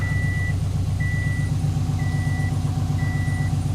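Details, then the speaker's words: Freshly rebuilt Subaru engine at about 50 miles, just after an oil change after metal was found in the cut-open filter; steady even hum with a beeping alarm over it, no grinding or knock, oil pressure good. Normal running. "Nothing sounds like it's grinding, binding, bending, anything."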